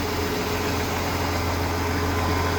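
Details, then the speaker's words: 1992 Ford F-150 cold idle after pushrod gasket work, thermostat not yet open: even, steady hum with no ticking or misfire, no coolant or oil leaks seen; running properly. "well the truck seems to be running properly I don't see any leaks the cooling isn't leaking and it's not leaking motor oil that I see has of right now"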